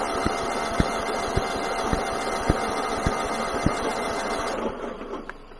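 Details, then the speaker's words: Kohler 15 hp engine on a Husqvarna lawn tractor, cranking on car-charged battery: steady cranking with sharp intake pops about twice a second, winds down without catching; fire from intake, suspected broken valve or timing out, not confirmed. "okay we're getting fire out of the intake so i think we've got a broken valve either out of time broken valve"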